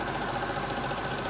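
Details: Serviced Eumig dual-gauge 8mm projector running Super 8 film after transport-mechanism repair: fast, even clatter of about eighteen ticks a second over a steady motor whir as the claw engages the film; normal transport.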